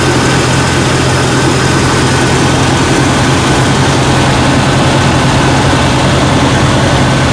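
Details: Jeep Cherokee XJ 4.0L idling after a jump start; loud, steady low drone with no stumbles or clatter. Alternator reads about 14 V, so the alternator is good. Normal idle.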